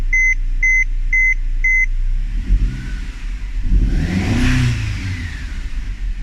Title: Mercedes-Benz c250 strange engine noises